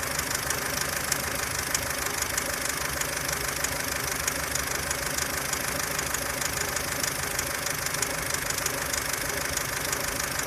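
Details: 2003 Ford Fusion 1.4 Zetec petrol on 5W-30 oil: idles with a fast, light ticking, about three ticks a second, from the belt end; auxiliary belt and water pump ruled out.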